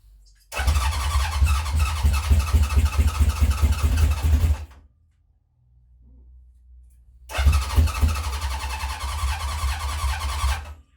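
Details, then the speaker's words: 1970 Honda CB750 K0 on first start after decades sitting, remote fuel tank, choke on: two long bursts of cranking with ragged firing that never catches; owner suspects it is short of fuel. Cranking, fails to start. "To me, it sounds like it's a little bit short of fuel at the moment."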